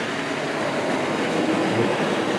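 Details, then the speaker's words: Hornby Triang dock shunter model locomotive pulling a heavy train: motor rushes and whirs unevenly as the smooth driving wheels spin and lose grip. "she's will spinning can probably hear it I mean she's doing it once you get going not so"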